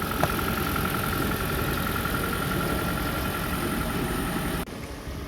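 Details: 2015 Toyota Auris just after electric water pump replacement, self-bleeding on startup: even, steady idle with a smooth pulse and no knocks or rattles, then it cuts out cleanly; engine running fine.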